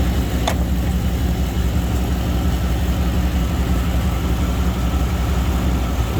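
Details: 2000 Chevy Tahoe Limited, Vortec 350; idles smooth and steady with a low, even rumble, no miss, stumble or knock; normal running.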